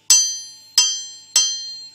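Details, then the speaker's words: Worn forged crankshaft for a Farmall tractor struck with a hammer: three taps each ring clear and high, sustaining and fading slowly, unlike the dull thud of a cracked crank; ring test shows no crack. "see it rings out like a bell you can really hear that sustained and I can tell you right now without having a magnaflux this crank right here it's not cracked"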